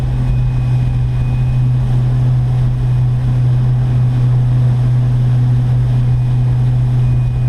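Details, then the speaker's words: Electric boat Delta with 4-blade prop at about 3600 rpm, 166–168 A, 149 V: heavy steady low drone and constant hum at full revs, vibration shaking into the hull, probably prop wash striking the hull. "but i can just hear that there's a lot of vibration coming into the boat probably the prop wash is being hit up too much so uh yeah not quite what we're looking for here"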